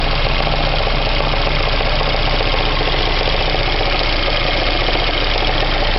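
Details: VAZ 2109 engine, knock appeared two days ago and persists after warming to operating temperature: steady metallic knock over rough idle, about three or four beats a second; engine knock, cause unclear.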